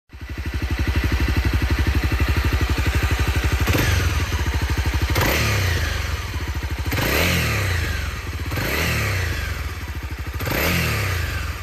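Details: Honda CRF250L single, repeatedly blipped; light metallic rattle as revs fall off throttle, likely slack cam chain, with the cam chain tensioner lifter replacement as the suggested fix: cam chain rattle.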